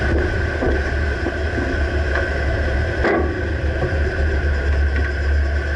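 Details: 2009 Dodge Ram, moving: dull irregular clunks over wind and road rumble from the rear right suspension; exact source not pinpointed.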